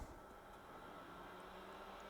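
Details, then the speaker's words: Fan from a 1984 IBM PC 5150 power supply during restoration, bench-tested on 12 V DC (rated 0.12 A, drawing about 70 mA): steady even airy hum, soft whir, no rattle or scrape; fan good. "and it sounds like music it says DC 12v 0.12 amps but it's only drawing about 70 milliamps so looks like this fan is good"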